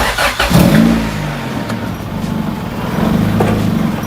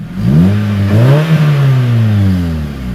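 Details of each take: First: Car just after fitting an eBay throttle body (old one suspected since idle couldn't be adjusted), opened quite a bit: slow, lumpy low idle with loud whistling, risks stalling. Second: Car revving with a newly welded exhaust: smooth, even revs climbing and settling with a deep, steady drone, no knocks or rattles; healthy engine, sounds good.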